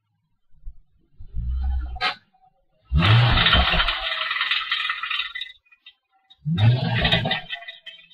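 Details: Ford Mustang after clutch, short shifter and diff replacement: harsh metallic rattle in uneven bursts after revving in neutral, not in gear, seemingly from behind the seats; owner suspects exhaust, unconfirmed.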